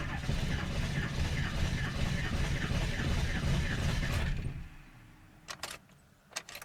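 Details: Ford 7.3 diesel cold start at 15°F with block heater unplugged; steady slow cranking about 2.5 beats a second for over four seconds without catching; hard cold start.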